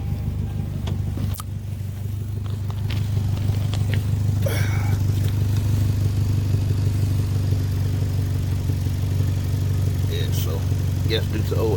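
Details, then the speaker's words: 1997 Toyota Camry idling with a loud, deep pulsing exhaust rumble and an uneven sputter. A shop diagnosed an exhaust leak needing a new muffler and exhaust gasket; not confirmed. "new muffler and exhaust gasket due to an exhaust leak let me start it up so you can hear that sound it it is pretty bad"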